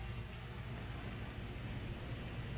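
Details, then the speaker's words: Electric fan after shaft bushing replacement, spins freely by hand, running on low: soft steady motor hum, no clicking or ticking from the shaft; runs smoothly, normal. "So, pakinggan natin kung may lagitik. So, wala, no? So, okay na yung ating electric fan."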